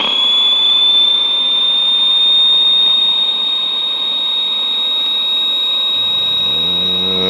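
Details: 1962 Sears Silvertone tube black-and-white portable TV after reforming electrolytic capacitors: constant very high-pitched whine holds level, low hum entering near the end; horizontal oscillator running normally at about 15 kHz.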